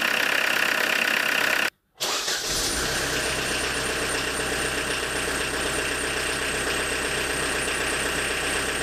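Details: Diesel engine with Lucas DPC pump, injection timing advanced 0.5 mm: after brief cranking it starts into a hard, rattly clatter at idle, with blackish smoke and reduced pulling power; advanced injection timing.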